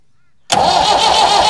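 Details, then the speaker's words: Massey Ferguson 178 (Perkins) cane haul-out tractor, about 50 years old and sitting for years, cranked at wide-open throttle with the injector lines loosened: even churning, never fires; only weak diesel reaches the injectors, suspected lift pump or injector pump fault. "there is diesel just starting to come through at the injectors but it's pretty weak even under Full Throttle there's not a lot coming through"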